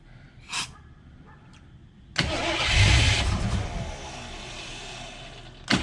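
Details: AMC 360 V8 just rebuilt after a lost cam, with new Summit 8600 cam, lifters, timing set, bearings, Edelbrock carb, HEI distributor, oil primed with ZDDP: brief crank, catches and flares, settles to a steady, even 900 rpm idle, oil pressure 25 versus under 10 before; normal start and idle.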